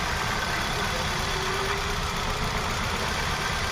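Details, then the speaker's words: Hyundai Venue with P0300/P0301, coils pulled one at a time at idle: pulling cylinder 1 gives no change, cylinder 2 drops; cylinder 1 dead, later traced to no injector supply from faulty ECM. "तो यहां पे कुछ भी नहीं कर रहा है एक नंबर। तो ये अपना दो नंबर काम कर रहा है।"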